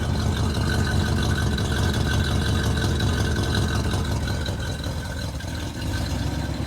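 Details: 1967 Plymouth Fury III 383 V8 just started after 15 years with new fuel pump, smoky, probably from burning dust: steady, even low rumble at idle with no knocks or misses; runs clean.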